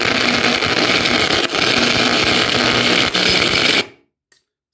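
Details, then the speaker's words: Yamaha A-460 stereo amplifier, right channel: harsh, loud crackling from the speakers cuts off as the protection relay trips whenever the STK3042 MKII module is moved. DC fault from cold solder joints, fixed by resoldering the module terminals. "So every time when I move this component, you see you can hear also the protection relay. So that means it's a DC voltage somewhere there."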